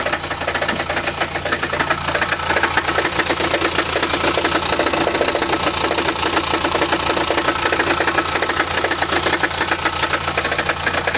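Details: Chrysler Grand Voyager 2.8 CRD automatic at idle, in park, drive or reverse, with little noise at higher revs: a fast, uneven metallic rattle over a low rumble, caused by a badly cracked flexplate between crank and torque converter.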